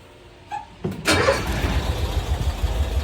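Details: 1990s Cushman Truckster, pulled from a field after sitting years, fuel pump on: brief crank, then catches instantly and settles into a steady, even idle; starts cleanly.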